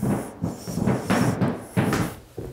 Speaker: That squeak is actually caused by the sound of the wood, right? Rubbing up and down on the nails, okay?